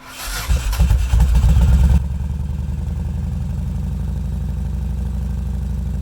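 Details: Yamaha Road Star Warrior 1700, cold start after a Raider-starter "Frankenstarter" mod, 4-gauge starter wires and a lithium battery, compression solenoid tested fine: labored, uneven cranking for about 1.5 seconds before it catches into a thumping idle; the slow start resets the clock. Cause unknown.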